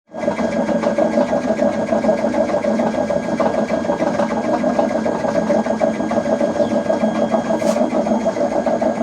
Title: LG washing machine making loud noise #noisy #lg #washer #repairs